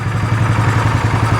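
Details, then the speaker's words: 2015 Polaris Sportsman 570 EFI single-cylinder ATV that sat outside for years, reportedly "blew up"; owner unsure if it hydrolocked from water. Warming up after revival: even low thump, regular beat without misfires or clatter. Engine absolutely quiet, normal idle. "but I don't want to give it any [Applause] gas man the motor is absolutely quiet"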